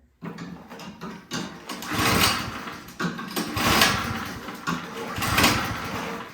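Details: Toro Power Clear single-stage snowblower on full choke, with gas and oil confirmed: three pull-start attempts, each a rough rising whirr that dies away without catching; spark present, crank no start traced to a carburetor gummed by bad gas.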